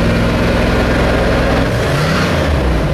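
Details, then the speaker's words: 1964 Chevrolet Biscayne; it stays below 190°F with airflow, and the oil pressure gauge is slow to respond (likely a cheap gauge). Revs nicely, then settles to an even burble with no ticks or knocks; normal idle. "you can hear the car does REV nicely and has a good sound to it"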